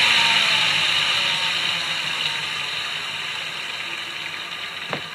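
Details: Fixed-gear bike drivetrain slipping with bright, rapid ratcheting clicks of about three a second that fade as the wheel slows, then a sharp snap; owner suspects a worn fixed cog needing replacement.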